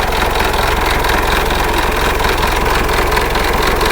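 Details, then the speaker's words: Engine idling with fast metallic clatter, about two knocks a second: valves hitting pistons metal to metal each time the piston rises, making the engine noisy; damaged piston rings and worn liners also found. "Mas grabe pala untog nito. Kaya maingay yung makina. Kaya parang may nagsasangag."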